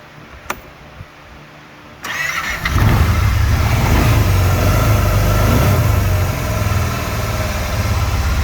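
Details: 2019 Kawasaki Teryx LE 800 after engine rebuild: starter cranks briefly, engine catches and settles into a steady, even idle with no knocks or misses; later the aftermarket oil pump caused flashing low-oil-pressure light when warm.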